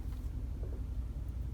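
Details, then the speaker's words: High-mileage 2019 Ram 1500 on upgraded Nitto Ridge Grappler tires, raised to Off-Road 2 height, in reverse at full steering lock. Only an even truck rumble with no scraping or rubbing: no tire rub. "So we'll put it in reverse, cut the wheels all the way. Obviously gonna be no rubbing there."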